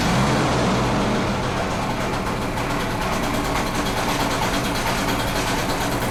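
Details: Di Blasi folding moped two-stroke after wiring repair and a carburettor clean, kick-started on choke. It holds a steady, buzzy idle putter with no misfires or sputters, running cleanly.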